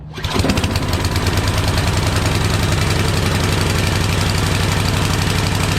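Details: Yardman 8.5 hp 26-inch two-stage snowblower engine, rebuilt from a disassembled unit, with spark confirmed: it catches quickly and runs evenly only on sprayed starting fluid. Fuel delivery problem suspected, not confirmed.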